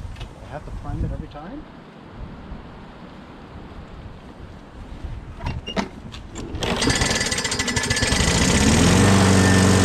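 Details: Craftsman 6.5HP Briggs Quantum FWD mower after magneto replacement and carb clean, primed three times and started on the electric key start: handling noise, then it catches and settles into a steady, even run. Owner hears an unidentified clanking.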